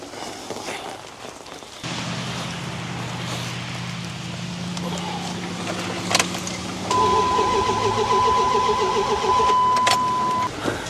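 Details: Older Dodge Ram cranks steadily, about four turns a second, but never catches while a chime sounds; injector pulse confirmed with noid light, plugs next.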